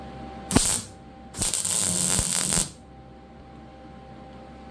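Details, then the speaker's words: A 110 MIG welder welding stainless resonators into a C3 Corvette exhaust after the heat was turned up: crisp, steady crackle like frying eggs with quiet gaps between passes, a decent puddle forming; correct weld sound. "That's better. You hear that fried egg sound? That's what it should sound like. Like somebody frying eggs up. A nice steady buzz."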